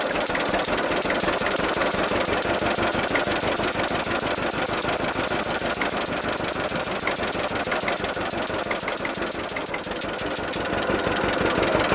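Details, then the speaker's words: 1946 John Deere AR two-cylinder tractor warming up after brake band repair, with heavy wind noise on the camera. A steady, even pop-pop at about three beats per second. Normal, healthy idle. "so that sound nice trouble is the camera's got the wind cut on it and it really a"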